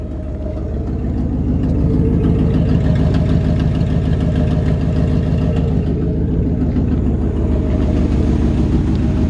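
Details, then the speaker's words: 1955 Ford F-100 with a 1964 Thunderbird big-block V8 and Cruise-O-Matic automatic, heard at idle with the hood open: steady idle with a quick, even ticking puff on each firing pulse from a leaking exhaust manifold; otherwise a good-running engine. "now one thing this truck does have is a little bit of an exhaust leak out of one of the exhaust manifolds"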